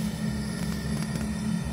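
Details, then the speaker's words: Zhukovsky gas heating boiler made in 1997, gas valve at about a quarter to half open: steady low roar with a grunting flutter. The noise vanishes when more gas is added and does not change with the damper. "Да наверное половина вот при этом положении слышно такие небольшие шумы котла при добавлении все пропадает"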